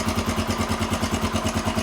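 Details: 1993 Honda XR250L single-cylinder dual-sport, running again after sitting two years and a battery swap: even, steady thump at a brisk idle about seven beats a second, no misses or rattles; idling cleanly.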